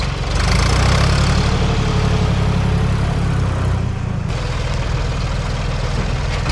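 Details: 1973 Ford 4500 industrial diesel backhoe, revived from scrap, digging stumps: deep diesel rumble with loose even beat, no knocks or grinding; machine ran great all day.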